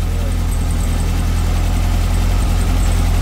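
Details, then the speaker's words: Beetle just restarted after regaining spark, one plug still unchanged: deep, slightly uneven idle pulsing about four beats a second and steadying; owner suspects it was clearing excess fuel from its system, unconfirmed. "well it's coming good might have just been getting that fuel out of its"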